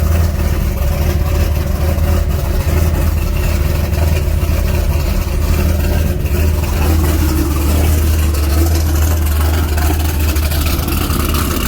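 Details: C6 Corvette V8 after fixing crank-no-start by restoring spring tension on a bent fuel pump relay pin terminal (pump suspected fine): deep, steady idle with even firing, no misses or stumbles; running normally.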